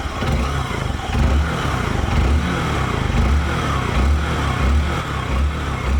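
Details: Honda Bros 150 single after engine rebuild, connecting rod replaced plus top end work, previously noisy without oil loss; even steady low thumping idle, no knock or tapping; normal idle.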